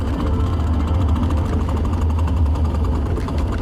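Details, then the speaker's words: 1987 BMW E28 manual gearbox, old transmission with chipped gear teeth: uneven clattering rattle and grinding over a deep engine drone; gone after transmission swap. "The transmission feels incredible. No more crazy rattling and grinding, whatever you wanted to call that noise. I'll insert the noise again."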